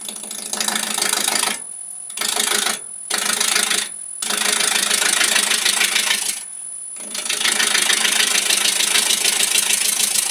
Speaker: now the ghost thing is getting pretty low here as soon as it starts turning around you'll hear a different sound but i can see i'm probably about three millimeters away from getting it round